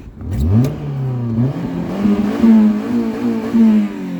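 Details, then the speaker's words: Suzuki Alto in snow, engine revs rising and falling with a slightly raspy, fruitier-than-standard exhaust note; owner suspects a possible exhaust leak. "like that sounds uh that sounds a bit fruity a bit fruitier than standard right"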